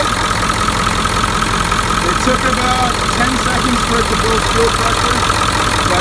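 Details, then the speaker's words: 1996 Ford F-350 7.3L Powerstroke diesel, started for a leak check after the fuel bowl and the cracked, failed fuel pressure regulator were replaced (pressure had spiked over 100 psi or dropped below 20): steady, even idle clatter, no knocks or surging. Normal. "yeah we're gonna start it up and check for leaks okay gonna start up now you check for leaks for me please"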